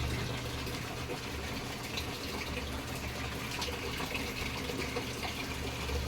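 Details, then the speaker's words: Samsung top-load automatic washer that had no water input, after replacing the faulty inlet solenoid valve, tested for overflow: steady hiss and rush of water at an even rate, no valve chatter or buzzing; filling normally. "So yun nga po tine-testing ko kasi baka baka nagooverflow to marami po kasi akong nagagawang ganito ang problema naman nagooverflow ng tubig"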